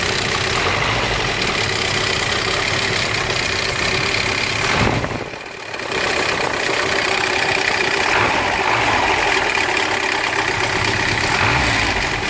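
Petrol engine idling with a fast, light rattle riding over the run, about four per second; sounds like a noisy timing chain.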